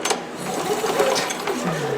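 Pull cord spins with a light, free whirr and no chugging resistance from the piston; the engine has no compression, cause unknown.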